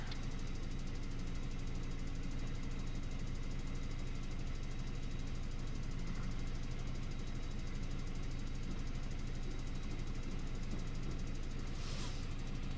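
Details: Mini with Prince engine, 153,000 miles, warm after running over an hour (coolant 90–96°) at steady idle: a light, even top-end tick about four times a second. Owner suspects a loose or slack timing chain, not confirmed.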